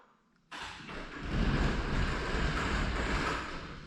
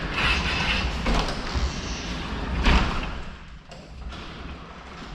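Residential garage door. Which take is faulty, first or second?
second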